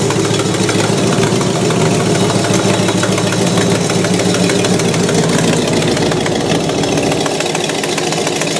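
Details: 1968 Buick LeSabre V8 idling after engine repair, previously abandoned with no oil pressure and leaking head gaskets; valve cover off, oil pressure good, head gaskets holding, temperature stable around 190°; even burbling idle, no knock, miss or hunting, healthy.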